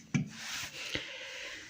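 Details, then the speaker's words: Aurora washing machine motor, noisy at spin: dry, raspy grinding rub with a couple of knocks as the shaft turns; motor bearing shows no play but balls dried out from humidity; drum bearings not the cause. "pero debe estar muy reseco en estos lavarropas el problema es la humedad por ahí se van secando las bolillas y eso es lo que ocasiona que haga ruido"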